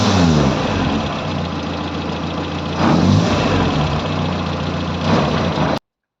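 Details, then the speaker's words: Morris Minor engine, off choke, bedding in new rubber engine mounts with the mounts loosened; uneven, lumpy idle with a couple of quick revs rising and falling; still running rough, cause unclear. "It's still running a bit lumpy. I revved it and popped it a couple of times, so it shook the engine about."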